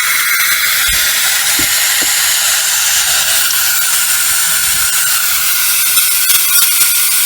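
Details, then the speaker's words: Snowpeak AP 900 air rifle purged during hammer spring and regulator adjustment: a loud, steady high hiss with a few light clicks as air bleeds out through the partly loosened screw, so the reservoir is venting normally. "So what we'll do, we'll purge the rifle. Right, you can hear the air."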